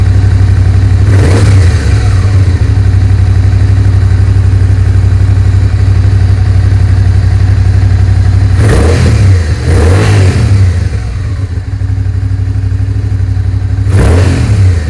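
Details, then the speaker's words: Suzuki SV650S after carburetor tuning and synchronization: a steady, lumpy V-twin idle with quick rev blips that drop straight back to idle. Revs no longer hang and there is no more popping or banging; throttle response is healthy. "the revs are staying nice and steady thr fral response is there the revs are not hanging anymore it sounds good no more popping and banging"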